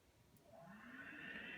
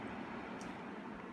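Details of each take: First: HVAC blower motor before repair, switched on: loud jet-airplane-like roar with high whining tone rising as the motor spins up; worn bearings. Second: HVAC blower motor after bearing replacement, circuit board resoldered and cover refitted: steady even airflow rush with smooth motor hum, no humming or grinding; quiet, normal running (previously sounded like a jet airplane).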